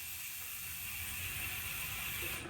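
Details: Kent Trouvaille mountain bike rear freehub on a stand, before greasing: fast, steady, high-pitched buzzing pawl ratchet clicks while coasting, about 47°F; ordinary loud freehub, nothing wrong.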